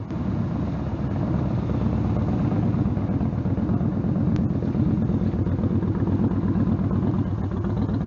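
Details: Stryker V-twin on a warm-engine road ride after new header gaskets fixed leaking headers (about 11,000 miles): deep, loping exhaust under steady riding, firm and even, no popping or backfire; power feels linear. Normal exhaust note.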